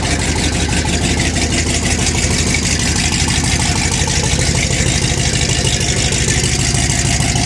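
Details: 1979 Ford F150, carbureted, cold start at 15°F on a January night with choke pulled and more gas: loud, rough-edged but steady cold idle with a fairly even beat; running acceptably.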